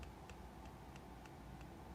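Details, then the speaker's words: Shimano Vanquish fishing reel handle with about 0.3–0.5 mm wiggle: faint, evenly spaced light ticks as the handle is rocked. Slight handle free play. "The handle on my perfect vanquish. I consider this vanquish perfect has a little wiggle. It's like 0.3 millimeter wiggle maybe 0.5 millimeter wiggle."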